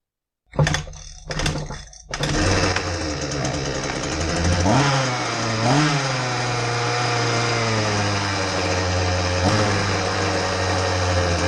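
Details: Husqvarna 125B handheld blower after repair for no-start, primed and choked: a few pull-start tugs, then catches, blips up and down and settles into a steady, even buzzing run; normal running.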